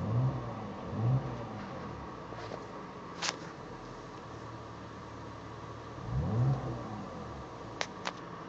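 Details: BMW E39 petrol engine swelling under brief accelerations with a steady mid-pitched hum and a few sharp clicks; strange noise on acceleration while the oil light blinks, cause unknown.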